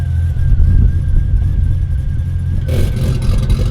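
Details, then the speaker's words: Ford Fairlane drag build after dyno tuning and new mods: fires straight up, strong steady low rumble without hunting or misses, then sharper burst; starts and idles well. "that sounds sick. It sounds angry."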